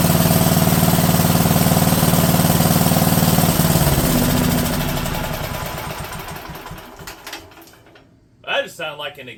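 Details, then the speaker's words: Wisconsin AENL single-cylinder engine revived after 20 years, carb rebuilt: steady fast putter at about four beats a second falters and dies, sounding like the ignition cutting out; ignition problem persists, condenser suspected. "an ignition failure right there that's what that sounded like like that sounds like ignition just cut out completely which means we still have an ignition problem"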